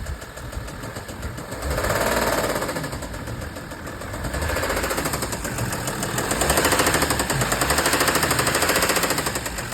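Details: Audi A6 C6 2.7 TDI diesel at idle: sharp metallic knocking about three per second that rises and falls with engine speed. Engine knock; owner asks what the cause is.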